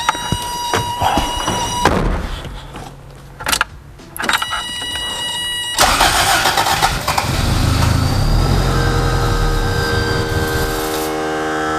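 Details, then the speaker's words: Abandoned Toyota MR2 first start attempt after sitting, in neutral, starter fluid sprayed, fuel pump heard priming: starter chugs in bursts, engine stumbles briefly toward firing then dies; fuel supply suspected, not confirmed. "it actually tried that time we're gonna do it one more time"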